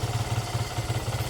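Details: Barako 175 single-cylinder motorcycle, cold engine, after new float valve seat, carb tuning, valve clearance, decompression adjustment, cleaned tank and air filter: even, regular idle thumping with no misses, knocks or stumbles; normal idle.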